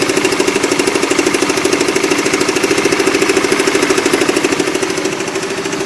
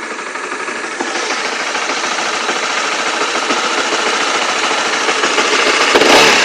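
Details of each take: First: Motorcycle engine idling with fast, even clattering ticks about three a second over a steady idle, present for almost a year; top-end clatter, cause not confirmed. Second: Honda CB/CBR motorcycle after the fix; engine revs smoothly with even beat, no knock or rattle, previous clatter gone; normal revving after fix.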